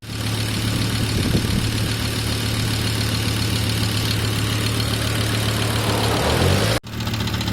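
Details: 1997 Volvo 850R, 150k miles, 23 years old, idling after oil sump pan O-ring seals were replaced over a knocking noise: a steady, even hum with no sharp knock; the new seals quieted it.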